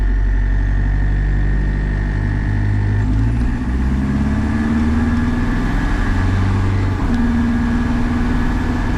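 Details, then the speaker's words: Cummins 4BT Tahoe with compound turbo, after manually cleaning coked injectors and a test drive: steady low diesel idle with an even beat and a small rev shift partway; runs smooth, no more haze or smoke. "well we are back home everything is looking good and driving good uh no more Haze no more smoke"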